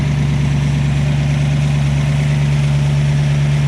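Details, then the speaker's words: 1967 Ford Fastback 289 V8 with a new cam, idling with high oil pressure: steady, lumpy idle with a faint light ticking on top from the lifters. "it's definitely sounding nice you'll kind of hear the lifters a little bit"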